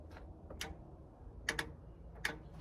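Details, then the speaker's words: 1972 GMC pickup from a junk auction, key on, battery just connected: a few sharp irregular clicks in a quiet cab from behind the dash; the old AM radio was left switched on. "it's over in this area that I hear it might be behind the dash yeah it's behind the dash"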